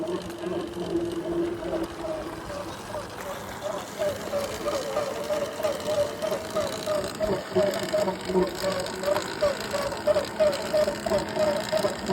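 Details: 2026 Ventus 1+ electric bike: warbling mid-pitched whirr with a regular tick about three times a second, odd motor or drivetrain noise of unclear source.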